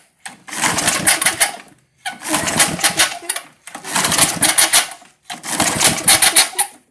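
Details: 1978 Tecumseh LAV50 small engine, Craftsman-branded, carburetor cleaner sprayed in: four pull-start attempts, each about a second and a half of rattly cranking with no catch; cranks but will not start, choke flap sticking from dirt.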